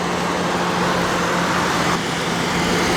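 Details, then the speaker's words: 2006 Trailblazer with 95,758 miles, earlier cylinder two misfire code: smooth, even idle with steady low hum and no ticking, engine running normally. "no ticking nothing just a nice smooth engine i did have a code for a cylinder two misfire but it's not misfired it's running smooth now"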